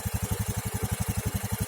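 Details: Honda Scoopy (2018 or 2019) fuel-injected scooter after repair of stalling and sputtering traced to the fuel pump filter, fuel pressure about 4.2–4.3 psi: steady, even putt near ten beats a second on the stand, no misses; normal idle.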